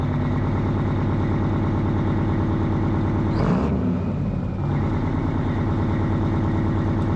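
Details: Detroit 12V71 V12 two-stroke diesel in a 1975 Peterbilt 359 idles with a steady but lopsided beat; entire right bank exhaust stone cold, as if only one bank is firing; owner suspects plugged exhaust, later checks fuel pressure; cause unconfirmed.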